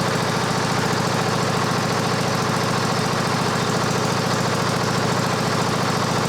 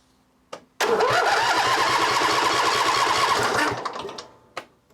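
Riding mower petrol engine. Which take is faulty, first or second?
second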